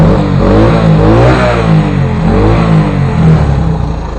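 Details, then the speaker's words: Honda three-wheeler just started after a 2-hour tune-up: small single-cylinder engine blips up and down smoothly and settles evenly; normal revving. "There we go. It runs. I tuned it up."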